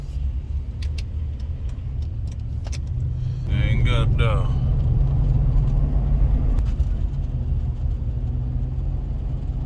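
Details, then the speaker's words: Chevy Avalanche while driving: a deep, steady rumble under the cab that holds with road speed. The owner suspects a front wheel bearing but says it may just be the rough-riding tires. Road rumble while driving. "sound like the wheel bearing hauling in the front it's maybe just these tires on here though all right these tires they got a riding so rough"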